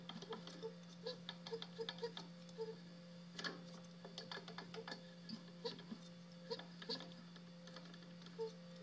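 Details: DLE 55 two-stroke engine, under 10 oz of fuel through it on 40:1 Stihl mix, steady low drone with sharp, uneven slapping ticks right after TDC; owner unsure whether piston slap or bearing noise.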